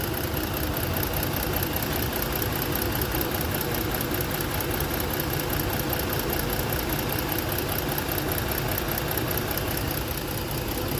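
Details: Ford engine misfiring at idle with one dead cylinder; the coil was replaced elsewhere without a fix. The ignition coil supply measures about 13 V; rough uneven idle with a lumpy low thumping rhythm.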